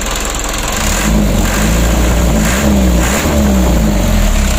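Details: Mitsubishi 120 PS Ragasa diesel after fixing diesel contaminating engine oil (nozzles and injection pump plunger serviced) and refilling 9 L fresh oil; steady idle, low even clatter with no misses or knocks; normal idle.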